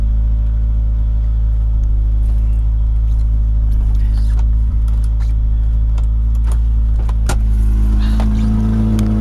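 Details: Honda Prelude engine: deep rumble with sharp irregular puffs and ticks that grow louder as revs rise, from a bad exhaust leak.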